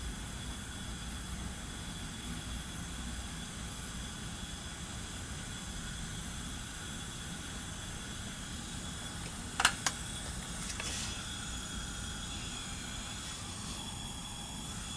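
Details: 1990 Onan P218 18 hp twin, one cylinder at 90 psi versus 120, with carboned plugs and a claimed 500 hours: engine stopped, a steady faint hiss of air escaping out the exhaust port past a leaking, likely carboned exhaust valve.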